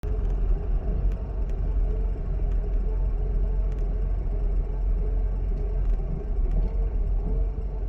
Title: w140 issue, rough idle after 1 hour driving.